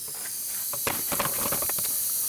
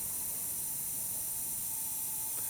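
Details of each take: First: Used VW TDI PD engine on leak-down test, tester fitting at glow plug hole: steady airy hiss with faint crackles, tester reads moderate leakage partly from the leaking fitting; number 3 cylinder sealing well, unlike number 1 with bent valves and number 2 with possibly bent valves. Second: Used VW TDI PD engine, broken timing belt, leak-down test at 60 psi with engine off: steady high airy hiss, high cylinder leakage.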